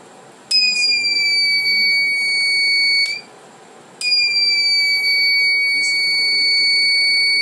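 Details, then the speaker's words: Reliable 03 inverter on bench, supply at 1 A, after oscillator IC failure: short cleared but no PWM generated; two long high beeps about 2.5 s each with one-second gap, alarm, oscillator stage still faulty, not a solder issue. "Não, realmente tem um problema nessa osciladora. Não é questão de soldar. Esse barulho é chato."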